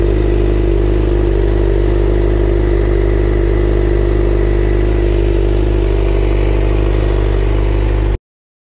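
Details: 2011 Suzuki GSX-R 600 after replacing a bad starter relay: smooth, even idle with a steady low beat and no misses or knocks; running healthy after the fix.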